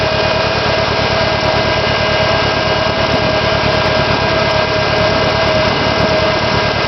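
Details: SR20DET at idle after sitting for 3 months: steady idle with a hum, but the beat stumbles now and then, like one cylinder dropping out; misfire, cause unknown.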